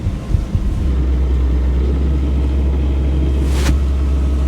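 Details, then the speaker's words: Sailboat diesel running in forward with a new Gori folding propeller set to overdrive (shifted reverse then quickly forward): gearbox heard working harder, a steady deep drone with no knocks or misses; normal running under heavier propeller load. "I can hear it on the gearbox now. It's working harder."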